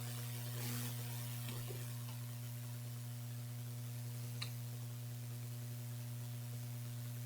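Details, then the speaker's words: Brickless mini PC build with Gigabyte RX 2070 Mini, i7 8086K, HDPLEX 400 PSU, fans unplugged, on anti-static surface: steady low mains hum with constant buzz; electrical buzz, suspected from streaming PC on same wall circuit. "everything else is isolated the buzzing is worse now yeah maybe it's the streaming pc this is on the same wall circa as that"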